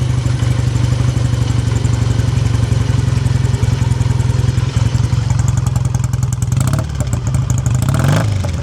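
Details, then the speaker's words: 1959 BSA A7SS Shooting Star 500cc parallel twin, still cold, choke off and idle screw turned down; it gives a steady, even low thump, smooth, with no tapping: a normal idle. "Yeah, sounds amazing. Love the sound of these British twins. Still needs a lot of warming up. Uh, but the engine's nice and smooth as well."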